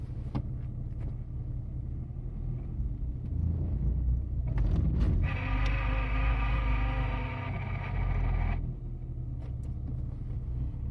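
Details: Nissan S15 at idle: a buzzy, even-pitched whine for a few seconds at odd times when the clutch is pressed, in neutral or gear, after a new Exedy clutch kit with throw-out bearing and spigot bush covered 50 miles then years of storage; owner suspects the throw-out bearing.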